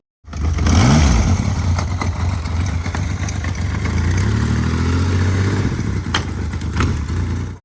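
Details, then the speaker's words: 1981 Yamaha XS850 triple: loud uneven revving with a loose clattering rattle, about four beats a second; owners suspect the crankshaft-to-gearbox chain, possibly wobbling from unsynced three carburetors; not confirmed. "with this bike we have the problem that there's a rattling noise uh in this area the crankshaft that's in here is connected to the gearbox via a chain and we believe this chain is"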